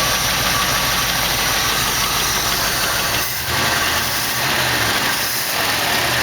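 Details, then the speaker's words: 1968 AMX V8 at steady idle after getting the old Motorcraft carb mostly working: quick, light ticking keeping pace with engine speed over the idle, a noisy hydraulic lifter not getting any better, maybe a little; one side still smoking. "that lifter don't seem to be getting any better maybe a little that's pretty good"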